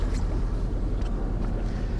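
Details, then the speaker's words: 2003 Johnson 70hp four-stroke outboard idling out of gear after warm-up mode, not fully warm: low steady even burble with no knocks or misses; normal idle. "runs great but now watch this because we're warmed up now well not really"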